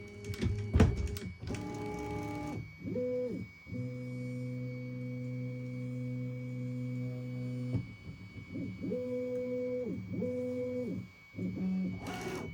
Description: My A1 has starting making a long beeping noise two times at the start of printing.